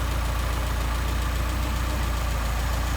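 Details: 190SL with Solex carburetors after idle mixture screw adjustment: a low, even idle pulse at about three beats per second with no stumbling. Normal, clean idle.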